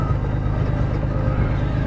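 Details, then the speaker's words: Engine idling after water pump replacement, VTC gears known to be worn: a deep, even rumble on one steady note with no pulsing or stumble; the earlier shaking at idle is gone, only a constant vibration remains. "any case that sounds normal it's a smoother at idle I mean before my car was shaking and at idle and now nothing"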